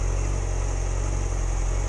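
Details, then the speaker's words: 2006+ Yamaha R6 idling on a stop before warming past about 160–170°F, worse in cold weather: low, uneven idle wavering then stalling. "The worse this gets, the more likely it is to die. Like right now. Yeah, there it goes."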